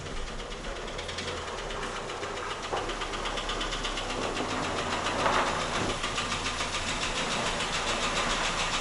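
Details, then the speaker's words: Toyota Rush with 3SZ-VE engine, about 72,000 km claimed, at idle: a steady, hollow knock about three to four times a second, piston slap. "Вот получается 3D двигатель стук поршней на перекладке"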